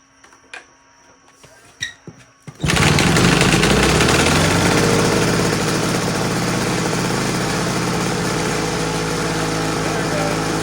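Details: Homelite HRA 42V 115 V 1500 W two-stroke generator, on a rich oil mix, takes a few pulls then catches and settles into an even buzzing beat; running normally and reliably.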